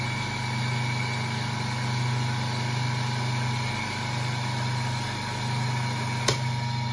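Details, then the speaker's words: Three-phase induction motor, star-connected, running alone at 1360 rpm; steady even electrical hum, no knocks or rubbing; normal running. "Выключаем. Двигатель работает один. Вот 1.360 оборотов. Ещё раз давайте включим. Он включается без всякого конденсатора."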